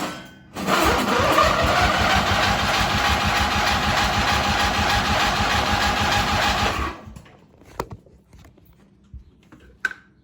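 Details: Race mower small engine starting and idling about six seconds with an even, regular tapping beat; owner suspects rod knock and fears it may blow up, cause unconfirmed.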